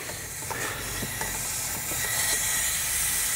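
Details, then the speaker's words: 2007 Audi A8 air suspension stuck in its highest position: a slackened red line fitting at the left front air spring lets out a steady high hiss of escaping air, confirming pressure reaches the air block. "i think we only need to turn it a little bit and it should start leaking and we can definitely hear air coming from the fitting"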